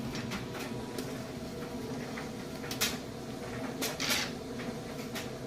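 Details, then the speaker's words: GE electric dryer on high-temperature timed dry: steady soft drum rumble with light thumps of tumbling clothes, no squeal or scraping; smooth, quiet normal running. "run smooth it's nice and quiet"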